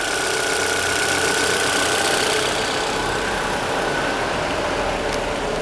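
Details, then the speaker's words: Peugeot/Citroën EW10 engine after repair and reassembly with injectors refitted, at idle: steady, even idle with a constant hiss and no knocks, misses or surging; engine stabilized, earlier dry-bearing-like noise gone. "Ó a diferença, ó. Motor estabilizado, sem ruído."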